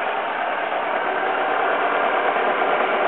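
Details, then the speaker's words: 2001 Alfa Romeo 147 petrol, after jump start, microphone close to the engine: steady even idle with no knocks or misses and constant pitch, running fine; owner unsure of a possible rattle on one side, normal idle. "that's the car so the it's running fine"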